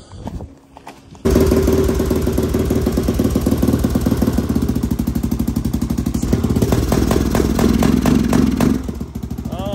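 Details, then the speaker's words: Yamaha Raptor 660R single-cylinder ATV with a weak battery and no air filter, fuel on. It runs with a steady thumping beat but won't climb in revs; the parking brake sensor limits revs, and the fix is cutting the sensor off. "I'll show you how to fix it your quad won't rev Kia sensor cut that off so you don't have to worry about it you get your parking car that's your parking brake sensor"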